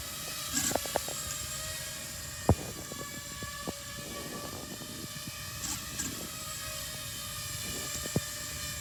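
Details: Quadcopter drone flying unsteadily and shaking: steady high motor whine broken by irregular clicks and sharp taps, with weird movements; cause unknown.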